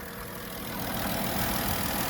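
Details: Ram ProMaster after rocker arm installation to fix a tick: engine settles into an even idle that rises slightly and holds steady, with no sharp tick riding on top; valvetrain sounds right, normal idle.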